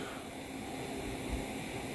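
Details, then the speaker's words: NVIDIA RTX 30-series card (3070 Ti / 3080 Ti) gaming at 120 fps: a thin, steady high-pitched coil whine is louder than the rushing fan. "hört das fiepen ist auf jeden fall lauter als der lüfter selbst"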